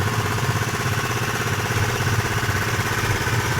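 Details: Honda PCX 150 keyless scooter idling after repair. It had arrived dead and would not start. Steady, even pulsing about three times a second, with no knock, rattle or stumble: smooth idle.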